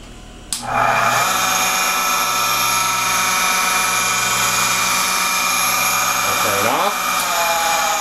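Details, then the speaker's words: Panworld 100PX-X pump with impeller and fan cover removed, motor spins up to a loud, high, steady whine with a rough rushing edge, then winds down; owner suspects bad bearings. "this is a panworld 100px dash X I've removed them Peller and the fan cover and then attempt to show how loud the pump what I think our bearings are turning on"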